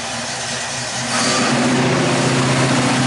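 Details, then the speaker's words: 1969 Mustang V8 at idle just after a new dual exhaust replaced straight headers: deep, even burble that lifts slightly after a second and holds steady with no ticking or puffing. Much quieter than before; healthy running. "Sounds a lot better. Yeah. Yeah, you can hear yourself think in the car now."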